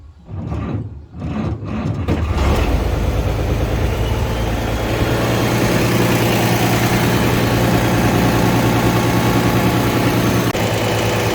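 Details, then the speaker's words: International 1086 diesel tractor after hydraulic filter and oil change, in park with throttle slightly raised: a few slow, laboured starter turns before it catches and settles to a steady idle; slow cranking, owner suspects a low battery needing the charger (alternator recently replaced). "Sounds like I need to put the charger back on it."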